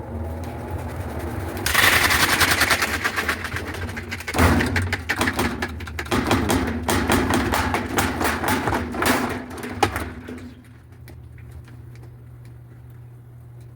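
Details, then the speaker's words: Whirlpool washer after a long-shaft transmission replacement, tested in spin: heavy irregular bangs and thumps as the tub wobbles. The worn, broken, bent and unbalanced tub still needs replacing. "funcionó hay que reemplazar la tina completa también Así es que Cómo ven falla o qué pasó ahí entonces tengo que reemplazar la tina porque ya todo está chueco completamente"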